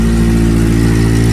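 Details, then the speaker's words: Honda Civic EJ coupe freshly K-swapped, first start on a booster, car jacked up: steady low idle with faint puffing tick from the loosely fitted back box leaking at the joint; later tightened. "Does it sound a bit exhaust leaky or not? Sounds good though."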